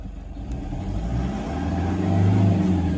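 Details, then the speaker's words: Diesel after major work, fuel pressure previously out of spec: even idle with gentle rev swell, no knocking or hammering, compared to earlier hammer-like knock; normal running after repair. "How long's it been running like that for? Have a listen to that. Some people think it's a petrol engine."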